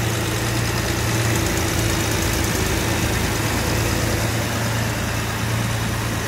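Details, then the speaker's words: Jaguar Series 1 4.2 with original engine and new electronic ignition, cold start after sitting 2–3 weeks. A steady, even low hum at a slightly raised idle with the choke still on, no misses or knocks; running very smoothly while warming up. "So let's wait till she go off choke. We'll hear the engine note change when she does. But that is running so smooth."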